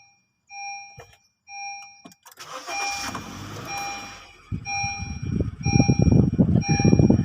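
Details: Honda Amaze starting after the battery was disconnected for 5 minutes to clear a check-engine light; owner suspects the lower exhaust oxygen sensor got wet driving through water. A few dash chimes, a short crank, a catch, then a steady idle with no misfire.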